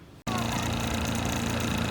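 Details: 1980 Chrysler Sea King 15 hp two-cylinder two-stroke outboard, revived after long storage, runs with a steady, even buzz at constant pitch and no misses. It had secretly run on one cylinder, and now both cylinders fire cleanly.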